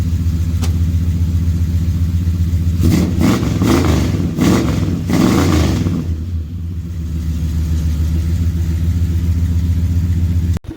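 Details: Carbureted 400 big-block in long-bed truck, newly finished, accelerator pump not working: deep lumpy idle, several sharp clean revs, then steady rumble; runs strong and even.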